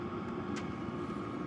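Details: Cheap portable diesel heater installed in an RV, running: even fan whir with soft rumble and a couple of faint ticks that die down, putting out steady heat; normal operation.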